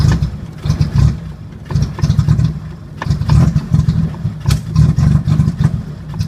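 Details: 1980 Chevy Luv, carbureted engine barely run in years, started on jumped battery: low note surging and sagging about once a second, never settling; won't hold idle. Owner finds carburetor trashed and plans to clean it; cause suspected, not confirmed.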